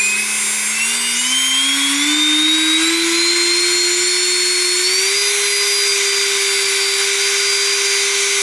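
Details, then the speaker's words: DeWALT cordless leaf blower motor bench-run at its rated 20 V, 2.4 A: smooth whine spooling up to a steady, even tone, no rattle; motor fine, fault suspected in the controller, battery controller or battery. "So at 20 volts, 2.4 amps, like the motor's fine."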